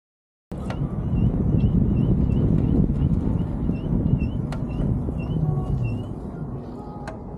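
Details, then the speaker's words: Inuri V1 Plus electric motorcycle while riding on road; sharp bird-like chirps three to four times a second over road and wind rumble, coming from the motorcycle; squeak of unknown source. "날씨도 좋고 새가 지저귀는 소리도 좋아 기분이 좋았었는데요. 이 소리가 오토바이에서 나는 소리더라고요. 버드 에디션인 건가?"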